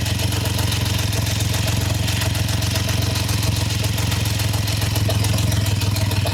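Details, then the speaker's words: Triumph Trident T150 triple, first start, warm, choke open: low, steady but slightly lumpy, uneven tickover; carbs need setting, and ignition timing is still to be checked with a strobe. "So the carbs obviously need setting."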